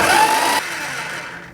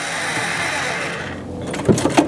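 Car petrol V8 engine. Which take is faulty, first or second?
second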